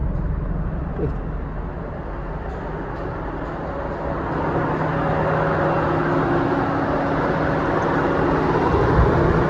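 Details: Proton Wira after DIY aircon belt replacement and retensioning: steady, even idle rising slightly and holding smooth as aircon compressor engages, no belt squeal or chirp; belt running normally.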